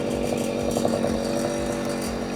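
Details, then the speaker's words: Puch Maxi moped with a new 70cc Power1 big-bore cylinder, running stationary on the stand: fast, buzzy two-stroke idle holding steady with a crisp, even pulse and no hunting. Close up, this larger cylinder also rattles. "As you can hear, the gas is running while stationary. Horny as hell."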